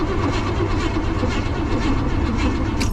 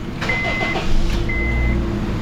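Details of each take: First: Vehicle on two jump boxes, brake cleaner sprayed into the intake: engine keeps turning over with an even, unchanging churn and never fires, not even trying to start; cranks but won't start, spark problem suspected, not confirmed. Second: Honda just after replacing all four spark plugs, no stored codes: steady, even idle with a smooth low drone, no misses or stumbles, a few chime beeps over it; still runs good.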